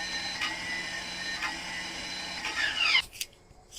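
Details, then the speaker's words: Ford F150, mic near engine: high-pitched whir rising then cutting off with no engine turnover; starter spins but gear seemingly not engaging the flywheel, cause suspected. "So, I'm not sure if you heard it, but that is the noise it's making. basically just the gear is not engaging it sounds like into the flywheel or whatever that piece is that it engages into onto the transmission."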